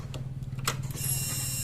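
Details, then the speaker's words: Honda Beat FI scooter with ECU fault, original ECU swapped for a compatible one, key on: click then low steady hum and higher whir; fuel pump priming normally, original ECU confirmed faulty. "Sekarang kita coba putar kunci kontak kawannya kita cek pulpomnya Apakah bunyi itu dia itu tanda-tanda itunya yang bermasalah udah kita tes sudah kita pastikan ya"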